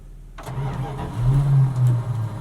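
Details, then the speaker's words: 1977 Dodge D150 Adventurer, 360 V8 with questionable carburetor, revived after sitting 12 years, warming up: catches after a short crank, surges unevenly and sags near stalling, not happy. "It wants to start, but come on now. Yeah, it's not happy."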